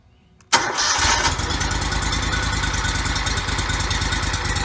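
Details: Toro Z553 mower, 2004 Kohler Command CH23 23 HP twin, 453 hours, after replacing the PTO-side oil seal, some bolts left loose: starts right away and settles into an even, quick thumping run with no misses or knocks.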